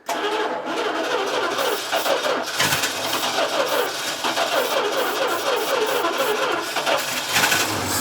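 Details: 1968 Dodge D200 truck starting after a new fuel pump and battery: catches after a brief stumble, then settles into a steady, even run with no knocks or misfires; sounds healthy.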